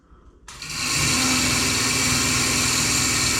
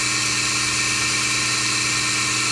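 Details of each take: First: Melasty single-cow milking machine vacuum pump before repair, after milk overflowed from the bucket through the black tube into the pump, with poor pressure: harsh, high-pitched whirring with a rough buzzing edge, strained. Worn, sticking carbon vane and clogged muffler. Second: Melasty single-cow milking machine vacuum pump after fluid got in, cleaned carbon vanes and muffler, reassembled: smooth, even high-pitched whir at a constant note, no knocks or rattles, holding pressure fine. Normal running.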